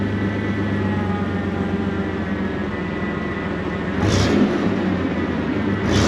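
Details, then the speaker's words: Chevy S10 with 4.3 Vortec V6, first start after replacing failed distributor: steady even idle, no popping or spitting, clean rev near end; running smoothly, timing right first time. "see that my friends is a win you can hear running Smo got right the first time"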